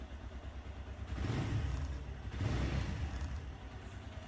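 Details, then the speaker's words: Suzuki GS 150 SE after timing chain tensioner adjustment: soft even idle with only a light tappet tick and no chain rattle, staying smooth through two gentle blips; the earlier chain clatter is gone. "अभी start करने जा रहे हैं बिल्कुल बेहतरीन sound हो गया है बिल्कुल परफेक्ट"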